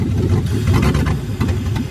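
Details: 1979 Ford F100 with LS V8 swap, first start after finding a large vacuum leak: settles into a strong, fairly even idle with deep steady rumble, no stumbling; sounds healthy.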